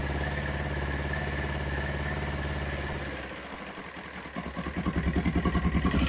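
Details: Kawasaki ZX9R four-cylinder after carb clean and spark plugs, cold start on choke: catches, dips briefly, then settles into even pulsing idle about three beats a second; previously stalled at tickover, carbs now running fine.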